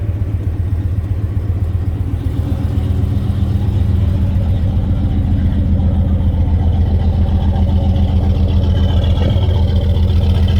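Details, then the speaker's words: Older GMC pickup with TBI 350 (or 305) V8, owner says severely overheated to the point it locked up; rough lumpy idle, uneven low thump and constant stumbling, missing like crazy, starting to smoke: misfire from blown head gasket. "vibrating 's missing like crazy"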